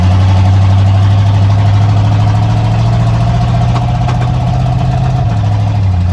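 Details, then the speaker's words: 1987 Ford Bronco XLT, cammed 351 Windsor V8, four-barrel Holley Double Pumper, headers into straight-piped true duals, first start after sitting all winter: loud lumpy idle with uneven beat and stumbles, misfiring, seems to be clearing up. "hey what is he this firing talk about misfires Eddie did not like hibernating for winter I could tell you that right now"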